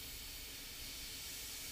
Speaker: open it just a quarter of a turn you can hear the air rushing out and I can feel the air rushing out